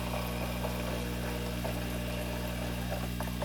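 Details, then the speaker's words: New Marineland Penguin 150 hang-on-back aquarium filter, impeller primed with water and intake sponge fitted, just plugged in: steady low hum with soft water trickle, no rattles or gurgling surges; pump priming and running normally. "You hear it running there? Jeez. Sorry about that. It's already priming."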